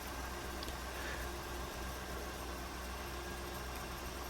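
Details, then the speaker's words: 1995 Oldsmobile Aurora V8 at idle after replacing a bad coil pack: a steady, even low hum with no stumble. The severe misfire that kept the car off the road for four months is gone. "Wow, no more misfiring. She's running so smooth now. I really can't believe it."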